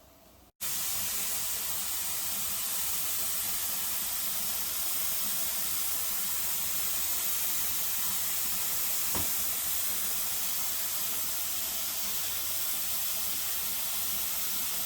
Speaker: My timer has gone off for the 10 minutes for this to be venting. So now all the excess air has come out.